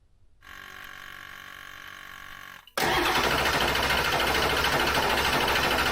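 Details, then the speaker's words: Ford diesel F350 dually: the starter whirs about two seconds, after earlier cranking that spun too fast as if with no compression. Then the engine catches and settles into an even, steady clatter, running healthy and sounding really good. "[Applause] it's started it's alive yeah all right close the garage door oh that's going to be stinky [Applause] actually sounds really good"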